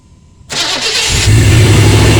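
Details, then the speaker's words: 1997 5.7 L 350 Vortec V8, stock exhaust manifolds, first start after water pump replacement: short crank, catches at once, settles to a deep steady even idle with no knocks or squeals; normal start and idle. "I think it sounds good it's a 5.7 350."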